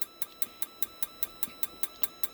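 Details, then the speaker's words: RV propane water heater on ignition trial: sharp, even ticks about five per second with no burner roar; gas valve clicking through three ignition tries with no flame, then lockout. "oh one it's gonna do three times and there it is that's the gas valve you heard clicking"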